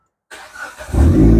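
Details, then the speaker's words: Gen2 car after replacing the immobiliser module and ECU, started once the engine logo appears. A short whir of cranking, then the engine catches at once and settles into a firm, even idle. A clean start. "Oke kita try kita dapat dihidupkan dan alhamdulillah berjaya"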